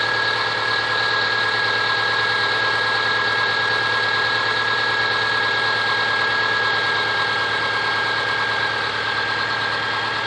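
A steady idle carries a repeating knock about three to four times a second under a high whine, pointing to an internal engine knock.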